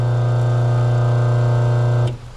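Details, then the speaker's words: New RBG712 Wall Enterprises blade sharpener/grinder, 1/2 hp single-phase 60 Hz ball-bearing motor: steady smooth low hum, no rattle or scrape, cuts off cleanly after two seconds; normal healthy motor running. "Ball bearing 1 phase, 60. 150, half a horsepower. That's what it is. 1/2 horsepower. Man, I like the sound of that."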